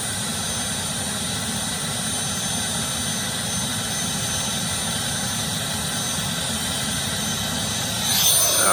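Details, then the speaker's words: Starwood turbine engine on a Lama with intermittent failure to start: steady high turbine whistle over a smooth rushing roar holding at idle; it lit this time, cause of hard starting still unknown. "we got it that time now let's see if it'll go to full switch at least it got the idle"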